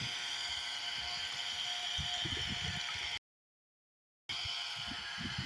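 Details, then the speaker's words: Solar water pump on a 50 W solar panel, lifting water toward a two-floor building: steady, even hiss of a small motor and rushing water with no knocks or grinding; normal operation with strong flow. "ఇవన్నీ on చేశాను, మీకు sound వినిపిస్తుంది కదా, water వస్తుంది."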